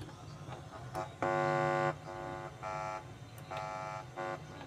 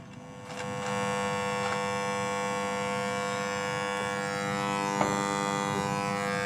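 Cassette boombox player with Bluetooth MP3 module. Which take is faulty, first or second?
second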